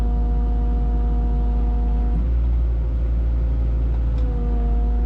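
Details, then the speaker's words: CAT 304 mini excavator diesel idling in cold weather: steady idle whose pitch suddenly drops and stays lower as if loaded; blade angle not working, owner suspects the blade angle switch. "so here's what I'm talking about you guys hear the pitch of the engine right now here how it instantly sounds like it's under"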